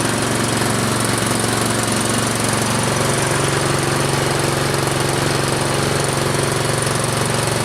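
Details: Troy-Bilt Storm 2840 electric-start snow blower, small single-cylinder engine just started on choke, warming up; steady, even pulse with no knocks or misses, healthy.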